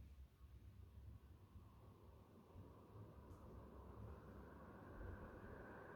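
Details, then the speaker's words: Superfan Q Series 5-foot (1500 mm) BLDC ceiling fan, sound test in a near-silent room, starting on low speed; only a soft, steady airy hum rising slightly as speed steps up, no ticking or grinding, running quietly and smoothly. "so it's not a professional sound test but i'm using an app which helps me determine the sound i've done this in the past so just taking the ambient sound of the room almost zero so it helps us better this is on low speed"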